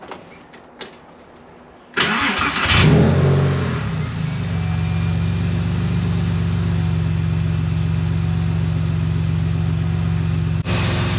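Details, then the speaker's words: 1999 Porsche 911 (996) first start after secondary air change-over valve replacement; brief crank, short rev flare, then steady even idle with no hiss or hunting. "let's crank it up and see what happens see if I put everything back together right"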